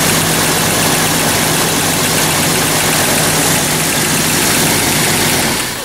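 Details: 1994 Jeep Cherokee, towed in with no-spark no-start, after replacing faulty crank sensor on left side of bell housing: engine starts and holds a steady even idle with no misses or stumbles; normal idle.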